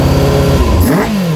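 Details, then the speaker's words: Kawasaki ZX-6R, first run in 10 years after carb clean, just started without choke after suspected earlier flooding, revved gently. Quick rev climbs smoothly and falls back to an even idle with no rattles or stumbles; runs healthy. "Sounds good. Not revving it too hard because obviously it's only just started."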